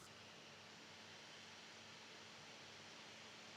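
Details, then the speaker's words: M4 Pro MacBook Pro running 500 active plugins, microphone brought close to the fan: a soft, steady airy hiss with a faint constant hum and no rattle or scraping; the fan is kicking in hard under heavy load, which is normal. "definitely the fan kicking in on 500 plugins"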